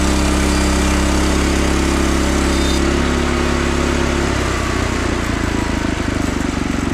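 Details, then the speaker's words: Frontier OS27 sawmill's newly swapped 15HP Harbor Freight Predator engine, replacing the 13HP Briggs & Stratton, on its first cut. Strong drone sags slightly in pitch as the blade takes the log, then holds even; pulls cleanly under load. "There it is. That's the engine swap. Use the Predator engine. It runs a lot better and a lot easier to start."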